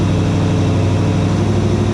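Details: 1956 Chevy Bel Air carbureted V8, warm restart, idle about to be turned down to around 800 rpm; steady, even low burble with no stumble or hunting; running cleanly.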